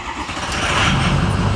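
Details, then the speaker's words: 6.0 Powerstroke diesel truck with batteries charged the night before: brisk, even cranking that quickly builds into a strong, steady diesel rumble; starter turns it over fast without hesitation, normal start. "oh and if anybody was curious thinking that sound like it cranks over faster uh we charged the batteries last night so we should be good"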